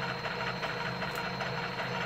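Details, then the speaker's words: ADDMOTOR Motan 20-inch fat-tyre ebike, 500W Bafang geared hub motor spun by throttle on the bench: rapid gritty rattling and ticking over a steady motor whir; the clutch assembly inside the hub motor is worn out. "the one that was on here when I spun it like this made a noise you could hear it the clutch assembly on that other one is shot"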